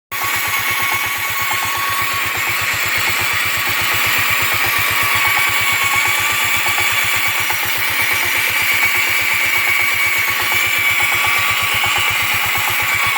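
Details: Yamaha Riva 125 XC scooter: a fast, thin ticking about four per second over a steady engine hum. The source of this mechanical tick is still unknown.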